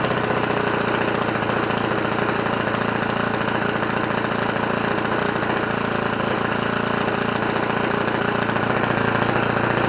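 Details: Rebuilt OS FS 91 Surpass 15 cc four-stroke methanol engine on break-in with a very rich mixture and strong vibration. Fast, even buzzing run at steady revs with no misses or knocks. Normal running.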